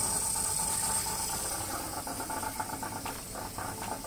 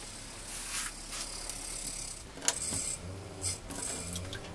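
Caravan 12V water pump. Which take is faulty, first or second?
first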